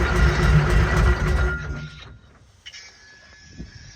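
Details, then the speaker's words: Oshkosh P-15 crash tender, Detroit diesel, long unstarted, in neutral, air intake off: starter churns in steady pulses about four a second but never fires; fuel pump not pumping, fuel filter suspected clogged like porridge, not confirmed. "so the fuel pump doesn't seem to be fuel pumping. And I'm guessing that this filter is absolutely clogged, which is what it's looking like. Like porridge. That's probably why it ain't starting."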